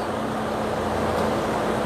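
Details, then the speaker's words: Toyota Innova petrol engine after full assembly, idling smoothly with a steady low hum; valve ticking has stopped because the hydraulic valve adjusters have filled with oil and set clearance automatically. "Dan di sini mulai sudah tidak terdengar untuk suara ecek-eceknya karena dari adjuster valve sudah terisi oli dan dari setelan klep diatur celahnya menggunakan tekanan oli secara otomatis."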